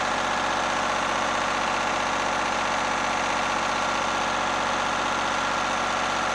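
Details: Lister diesel generator after plumbing its fuel system and resealing a leaking fuel filter: steady, even diesel clatter at constant speed with no misses or surges; running smoothly.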